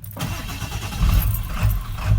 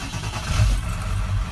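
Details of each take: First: 1997 Ford F350 7.3 Power Stroke diesel, about 99,573 miles: rough idle surging up and down about twice a second; runs normally in neutral, and the cause is found to be a bad neutral switch on the side of the transmission. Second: 1997 Ford F-350 7.3 Power Stroke diesel, 99,573 miles, idling smooth and steady in park; its rough, jumping idle was traced to a bad neutral switch on the side of the transmission.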